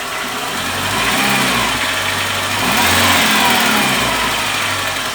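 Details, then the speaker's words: Renault Sandero 1.6 8v K7M petrol, 128,000 km, idling with two throttle blips: faint tapping knock under engine note, loud from start; attributed to worn connecting rod bearings (rod knock). "desgasta essas blusas da biela e fica com esse barulho aqui"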